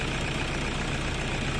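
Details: Toyota Innova D4D diesel that cranked but wouldn't start, after replacing the injector driver whose wiring was chewed by a dog: steady, even idle with a low constant rumble, no misfire or stumble.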